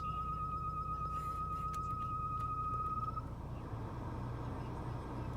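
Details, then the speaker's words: Mercedes E320 W211, 186,000 miles, below-freezing weather: interior blower motor at low fan speed gives a thin, steady high-pitched chirp over the fan hum, stopping when fan speed is raised past halfway. Blower is due for replacement. "so this is the season or the time where my mercedes actually makes a noise it's like a screeching noise which is actually coming from the blower motor"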